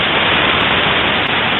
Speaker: after. Well, it it seems simple, but it was a block grease path. It didn't get there.